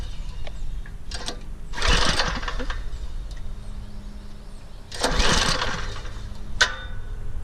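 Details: Troy-Bilt Super Bronco rear-tine tiller, 208cc overhead-valve engine, on choke, sat unused with old gas: two recoil pulls whir the engine over with no firing; spark confirmed, no start from a clogged carburetor jet.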